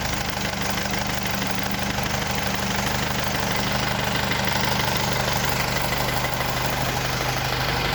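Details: Mercedes W210 diesel idling during AC recharge with R134a, compressor engaged while refrigerant is charged toward about 1 kg: steady clatter with a constant low compressor hum, no rattles or squeals; normal idle with AC compressor running.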